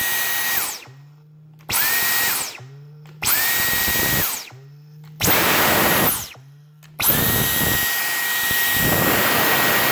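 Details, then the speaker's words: Brand-new Dyson V10 Cyclone Absolute stick vacuum: short bursts of high motor whine, then a springy falling boing as motor winds down after trigger release; owner suspects filter area or rubber wearing in, suction fine. "yeah just a little boying noise something sounds like something the filter area or maybe rubber is adjust new packaging new materials has just gotta wear in or something"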